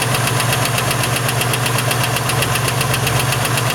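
V6 at idle with a sharp, regular knock about 2–3 times a second over a steady idle; clear internal engine knock, cause unconfirmed.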